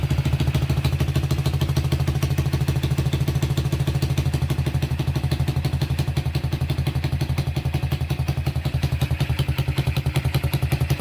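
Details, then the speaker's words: Honda Tiger single-cylinder engine idling fairly smoothly but with sharp puffing chuffs from an exhaust leak, because only one exhaust header bolt is fitted; characteristic Tiger clutch clatter considered normal. "Suaranya cukup halus walaupun terhalang oleh suara knalpot yang bocor ya karena baut kalpotnya cuma satu yang terpasang"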